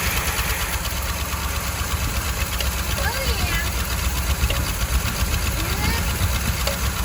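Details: 1968 Jeep J3000 Gladiator, long parked, first start at idle, breather missing: old V8 idling fairly evenly with a loose irregular rattle up top, valve cover rattle; PCV valve suspected loose inside the valve cover.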